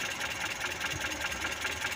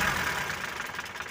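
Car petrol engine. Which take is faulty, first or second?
first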